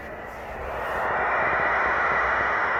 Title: Polk psw125 Strange noises